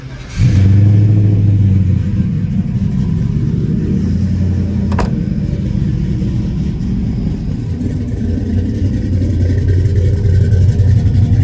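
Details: 1983 Chevrolet C10 Silverado with a built 5.3L V8, 4L60E transmission and 799 heads: a quick crank, then a deep even burble that rises cleanly on a blip and settles back; it sounds healthy.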